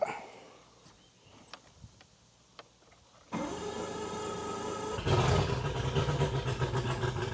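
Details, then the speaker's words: 2001 Mercury 200hp EFI outboard on a ProCraft Fish and Ski boat that will not go past 7 mph under load. Started with water on and throttle advanced slightly, it runs rough with an uneven, lumpy beat. Mechanic suspects it is not firing on all cylinders; not confirmed. "Alright, you can tell she's sick. Sounds like she's not firing on all cylinders to me. It's not an even, like you don't hear it even, like it's off or something."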